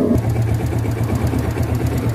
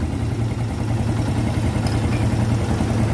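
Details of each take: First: Yamaha Vega ZR small single-cylinder motorcycle, long unused, first start before overhaul, leaking valve seals, worn piston and rings suspected: uneven idle with rapid clatter on firing pulses; connecting rod knock and worn cam chain. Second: Vega ZR motorcycle after a heavy overhaul (long unused; leaking valve seals, corrosion from spilled battery acid), kick-started: small single settles into a steady idle that rises slightly, no rattle or knock; rebuilt engine runs healthy.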